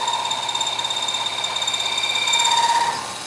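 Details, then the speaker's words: Boring rounding dies for a press, taking very light cuts of a few thousandths with a little oil as the tool starts contacting the stock: light, even chatter with a steady high ring; normal light milling cut. "From there, I can hear I'm starting to make contact. You see it starting to cut. I will use some oil on this."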